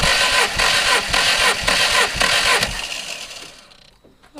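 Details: MG TF 160 VVC, rebuilt Rover K-series engine, cranking during compression test (no firing): steady even starter cranking about two beats a second, compression strokes alike; readings about 153–178, cylinder two slightly outside the ideal range but acceptable.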